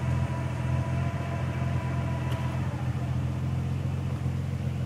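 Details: Nissan 300ZX twin turbo with a new 98+ JSpec manual transmission (3,000 miles, Redline MT-85 fluid); whine present since installation, faint in neutral, now loud in low gear and on deceleration in 1st; steady high gear whine over engine rumble.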